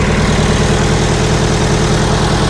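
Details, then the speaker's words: Scrapyard diesel forklift, fuel pump missing its mounting bolts, possible exhaust leak, battery possibly low: deep, steady diesel idle with an even beat and no misses or knocks; running quite well. "ồ, nó chạy thực sự chạy khá tốt có rò rỉ khí thải ở đâu đó không có giá trị gì"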